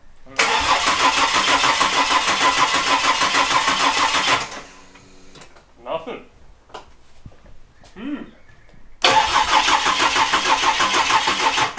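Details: Ford Barra turbo engine in EF Falcon, first start attempt: two spells of steady starter cranking, about three beats a second, with no catch or fire; engine cranks but won't start.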